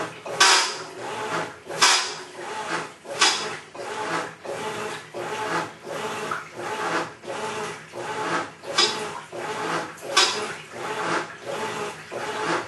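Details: Maytag Centennial Commercial Technology washer, about 14 months old, just past one-year warranty, overloaded for demo: rough gravelly grinding like a cement mixer churning gravel swells on every agitator stroke, about forty-three a minute, during wash agitation.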